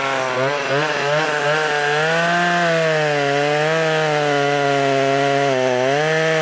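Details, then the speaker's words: Revived Poulan 3300 chainsaw cutting wood. A crisp, high two-stroke buzz dips slightly as it bites into the wood and picks straight back up. The saw runs great and healthy. "so this is definitely going to be the giveaway saw for January um man these things run great man really"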